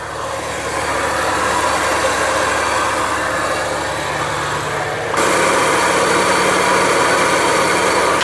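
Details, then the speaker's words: Acura Integra sedan, B18B engine at idle: a steady gritty bearing grinding whir that grows louder. Power steering pump bearing suspected, possibly the AC pulley; a noise was also heard near the timing belt side. Unconfirmed. "If you hear it, it's like a bearing grinding sound."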